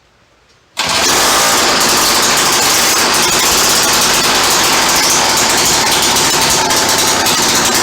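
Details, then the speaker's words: Free yard-sale auger's small engine, with a broken throttle tang. After a second of silence it catches into a fast buzzy run; it starts and runs, though it only keeps going a few seconds. "Just doesn't want to give me more than a few seconds. Kind of works."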